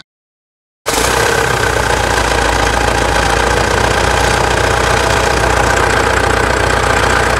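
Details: 2016 Mitsubishi Triton 3.2 diesel after service with air filter hose washed and engine and fuel additives added: steady, even diesel clatter settling straight in after start-up, no knocks or misses. Healthy idle.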